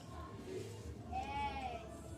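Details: Nissan Grand Livina 1.8 16v strut top mount flexed by hand, giving a short rubbery squeal that rises and falls; mount is worn with play, found only after dismantling the strut, being replaced.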